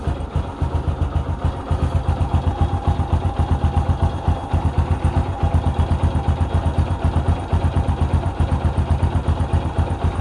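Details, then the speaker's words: Kawasaki Bajaj CT 150 single-cylinder after valve clearance adjustment to cure valve ticking: steady, even putter at about four beats a second with no top-end ticking. Normal idle. "guys Okay na wala na siyang lagitik"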